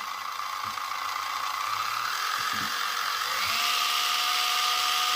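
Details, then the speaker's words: FLY Renault 5 Turbo slot car after lapping the crown and pinion gears with toothpaste, run slowly at a low setting: a clean motor whine climbing smoothly with no gritty grinding or sticking; the gears now mesh smoothly. "that's that's a hell of a lot smoother isn't it try and get it to run slowly as possible and that's not sticking at all now that that Crown gear and pining gear the mesh on that now is much smoother"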